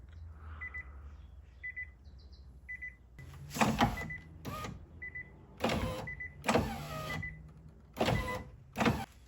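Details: 2013 Nissan Leaf with over 160,000 miles, driver-side window: harsh grinding and scraping bursts each time the window motor runs, with a chime beeping; suspected regulator, loose bolts or dry tracks and cables, addressed with silicone lube.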